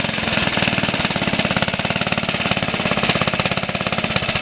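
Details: Suffolk Colt 12-inch lawnmower, first start in about 20 years after full strip-down rebuild with new valve and ignition coil gaps set: fast, even popping beat holding steady speed without misses or rattles; running well.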